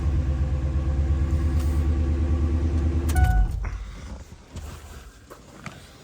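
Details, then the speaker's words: 1999 Ford F250 gas Super Duty that quit while driving, failed fuel pump relay in fuse box; running with power fed directly to pump wire: deep, steady idle rumble about three seconds, no misses, then switched off; runs normally. "Technically, if we hook this up, we should have a fuel pump and this truck should run. Which it does."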